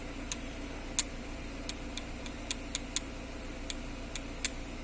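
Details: Jeep Renegade steering column, already bushed and repaired yet still noisy with play: sharp light clicks at uneven intervals, roughly two a second, over a quiet background; clunk from column play, cause not yet confirmed.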